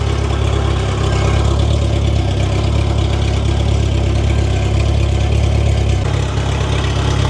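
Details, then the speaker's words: 1992 Honda Civic VX with a rebuilt Jackson Racing supercharged B18C VTEC engine at first start, on a base map and not yet road-ready, to be heat cycled. It idles deep and steady with an even low beat and no knocks or misses. Normal idle. "All right. So, it's running pretty good. Definitely base map and not ready to drive it on the road, but we're going to be able to heat cycle it and uh check everything out and get it ready."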